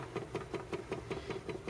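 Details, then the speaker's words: RCA Victor 9JY RP-168 45 RPM record changer before restoration: steady clunking about five times a second as the reject cycle labours and only occasionally completes. Suspected mechanical gear fault, not confirmed. "I pushed the button here the reject button and it does it does start to work that tone um doesn't go down"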